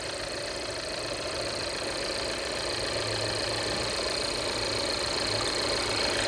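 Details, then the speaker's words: 2015 Volvo XC60, in for a battery problem, timing belt showing dry-rot cracks at 60,000 miles, just started: steady, even idle with smooth regular beat, no knocks or rattles; settles evenly and sounds healthy. "See if she'll start up. Whew, fire right up. She sounds good."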